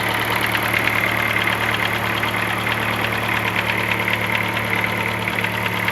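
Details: 2007 Chevrolet Celta, Flex Power engine, at idle: steady idle with fast faint ticking about three per second over the engine note; owner unsure of cause.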